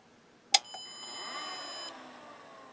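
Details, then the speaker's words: 1986 Carver PM-350 power amplifier at switch-on during repair: single sharp chirp then a soft electronic ring that fades out as the fan ramps up and settles; normal power-up self-check beep, amp working correctly. "that beep on power up that's to let you know everything's working good"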